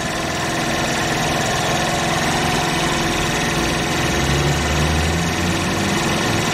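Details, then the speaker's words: 49cc GY6 QMB139 automatic scooter after throttle cable replacement and tune-up: small single putters at a fast, steady idle around 2000 rpm by tachometer, no misfires or hunting; normal idle. "so that's her idol rpm it's a 2000 right now sounds good i'm gonna call that a win"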